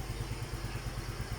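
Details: Yamaha Mio i125 scooter single-cylinder engine idling after a loose spark plug causing a ticking noise was tightened: even, steady low thump with no ticking or clatter.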